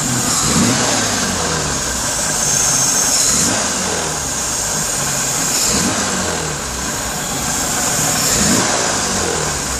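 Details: Rattle-type noise on deceleration as the engine revs up and drops back, loose rattle as revs fall, felt by hand on the left side riser; vacuum gauge readings unreliable; source not pinned down.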